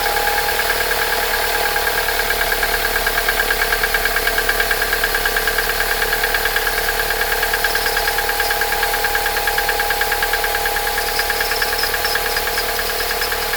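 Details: Toyota 5S-FE engine, cold start, more noticeable in frost: steady fast ticking knock about two per second over cold idle, not fading; cause unknown. Cold start engine knock.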